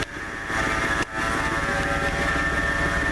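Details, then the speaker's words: Warm 1997 Ford F150 V8 idling with a steady high-pitched whine. A mechanic ruled out the power steering and suspected the AC compressor pulley, but a replaced pulley did not stop the whine. "can you hear that whine nasty little wine there I talked to the mechanic way back he said it's not the power steering unit he thought it was coming from the air conditioning compressor pulley"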